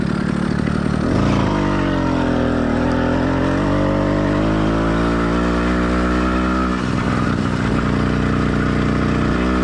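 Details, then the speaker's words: Warmed-up but not heat-soaked two-stroke motorized bike kit engine (single-speed transmission, single-circuit carburetor): buzzy note pulls up smoothly through the revs, drops back and climbs again, with light burbling off load; normal running. "let's listen to how the motor sounds after it's been warmed up but note this motor is not heat soaked"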